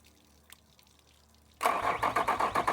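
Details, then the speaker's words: 2003 Yamaha 225 four-stroke outboard, 361 hours, running on a flushing hose: it cranks, catches, then lumbers in lumpy, uneven bursts. Misfire and poor running traced to a pinched wire giving false readings. "We're getting kind of that lumbering sound."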